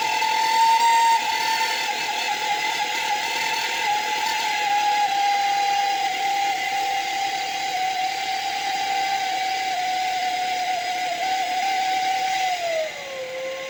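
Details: 1.4 TSI engine at idle: loud steady high turbo whistle around 800 Hz over a hissy idle, dropping slightly near the end; badly worn turbocharger, described as no longer drivable.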